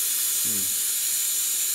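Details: Rolair JC10 air compressor after rewiring the unloader circuit: steady loud hiss of air bleeding off once pressure builds.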